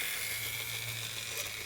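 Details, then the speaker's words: Graham Farish N-gauge Class 50 locomotive, Poole-type chassis: a thin, steady high-pitched squeal over a low motor hum from drive shaft chatter; the owner also knows two axles need new gears. "now the next one i'm trying to video for you is this squeal i think it'll be on the way up to that little house in the corner"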